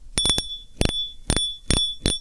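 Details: Fishing reel clicker after repair: broken click spring replaced with a cut strip, previously silent. Crisp, bright ringing clicks in short bursts, roughly six in two seconds, loud and clean; clicker engages properly.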